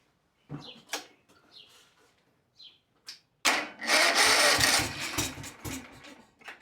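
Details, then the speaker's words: Kawasaki FS651S mower engine, very high hours, smoking, popping and bogging, after checking spark plug gaps: a few cranking bursts, then it runs with an uneven lumpy beat; still sounds like running on one cylinder, dead cylinder suspected. "All right, it still sounds like it's running on one cylinder."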